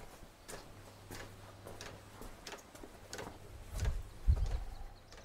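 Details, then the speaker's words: A Chinese diesel heater with a 6-metre extended exhaust into a DIY oil-drum sand battery gives irregular fuel pump ticks with no burner roar and smoke. It pumps fuel but won't ignite; the owner suspects the sooted-up exhaust and a blockage. "when it starts clicking it's just started clicking it's not looking good if this doesn't run I'm going to have to strip this down and clean it out"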